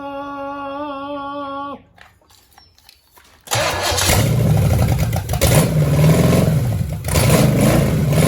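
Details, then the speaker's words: 1966 Chevelle small-block Chevy V8, first run after being thought locked up: after cranking it catches and runs loud and lumpy, not firing on all cylinders; wires were misrouted, timing eyeballed, and owner suspects a vacuum leak at the carburetor. "Yeah, she's running like crap. But we'll get new ignition, new plugs, new wires."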